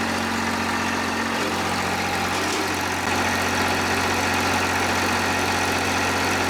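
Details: John Deere 350B bulldozer, rebuilt diesel engine: steady, even idle with a smooth low drone, no knocks, misses or rattles; normal idle.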